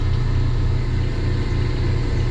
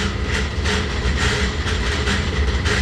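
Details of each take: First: Laars Pennant commercial hydronic gas boiler after circulating pump repair for a loud noise and leak: pump started, smooth steady low hum with no knocking, grinding or rattle, no leaks; normal running. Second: Laars Pennant commercial hydronic gas boiler circulator pump: a heavy low hum with a loud rhythmic rattling clatter and water leaking at the pump; a broken motor-to-pump coupling is suspected, not confirmed.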